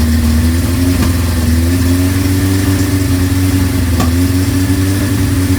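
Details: 1983 Suzuki GS1100GK naked bike with Vance & Hines pipe, run after fitting the muffler on a bracket. Smooth, even four-cylinder note that swells with throttle and settles back: running cleanly.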